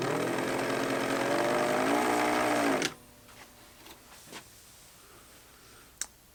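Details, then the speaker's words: Pfaff 801 sewing machine just fitted with a motor from a US Pfaff 807, bench test before reassembly: about three seconds of steady motor hum with a faint rising warbling overtone, then off; odd noise, possibly normal for these motors. "that noise sounds very familiar i don't know maybe it's just the noise these things make"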